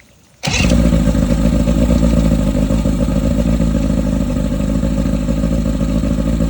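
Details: 1991 Mercury Classic 40 outboard after replacing unregulated rectifier with a voltage regulator, test start; engine catches at once and settles into a steady even smooth drone with no misses or knocks, charging 13.5 V versus 13.23 V off.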